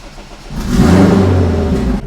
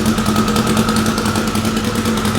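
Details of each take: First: Fully warmed-up engine with its tuner's rotational idle function just switched off. It catches with a quick flare of revs, then drops back to a smooth, quiet, even idle with no lope: normal start and idle. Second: Car, fully warmed up after sitting: lumpy, shaking tractor-like idle with an uneven chuff about three times a second, cylinders 3 and 4 seem to be missing; owner plans new spark plugs; misfire from fouled plugs.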